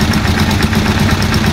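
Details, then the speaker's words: Rusi Chariot 175 trike, older single-cylinder engine, just started on Shell Advance oil: even, quick putter at idle with no knocks or ticks; idle smoothing out as oil circulates through the engine. "Here, tumitining na yung under nya dahil nga yung oil nakasirculate na sa loob ng engine."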